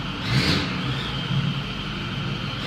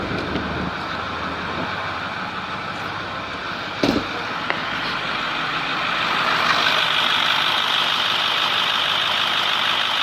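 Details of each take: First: 2010 Ford F350 Super Duty 6.4L diesel revving with a raspy, hissy edge from exhaust leaks at both exhaust manifolds. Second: 2010 Ford F350 6.4L diesel idling after repair of exhaust leaks at both exhaust manifolds: steady even note with no ticking or puffing, much quieter, no more exhaust leak.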